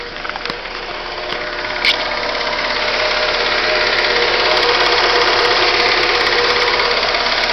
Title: Stukanie silnika